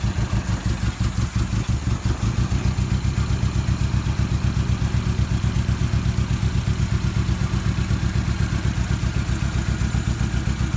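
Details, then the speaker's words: 1994 Toyota Tercel with fouled plugs and low compression (60 psi on two cylinders, 90 after Seafoam), hot engine; lumpy uneven chuff with loud exhaust puffs from major front exhaust leaks, cylinder 4 the main problem. "got some pretty major exhaust leaks right up front here obviously [Music] okay here we are engines still hot cylinder 4 is the main issue so we're gonna test it"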